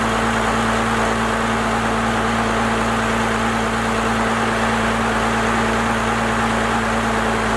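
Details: First-gen Cummins diesel, 4-inch straight pipe, timing advanced and idle speed raised: deep, steady idle with a constant low drone, no stumbling or hunting; settled at the newly adjusted speed.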